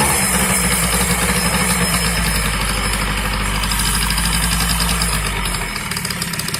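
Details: Yamaha BWS 50 (2JA) scooter: rattly idle with a loose knock about four per second running through it, a knock inside the engine; source unknown.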